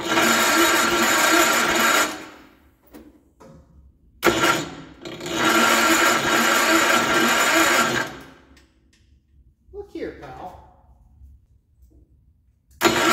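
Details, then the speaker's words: Gravely 814 tractor that sat outside for years, after fitting new points and condenser: two long bursts of steady starter cranking without firing; still no spark and no power from the points. "now still no spark I still don't have power from the points"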